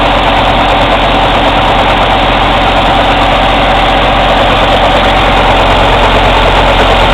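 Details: Cummins ISX CM2250 diesel during DPF regen: steady heavy drone with an airy intake chuff about three times a second and no mechanical or metallic knock; owner suspects turbo chuff during regeneration.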